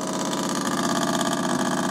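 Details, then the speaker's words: Jura CZ117 coffee machine at end of descaling: loud steady buzzing hum with fast even pulse and no water sound, "like a tractor"; pump running dry, normal and expected. "jak traktor nie tak ma właśnie działać"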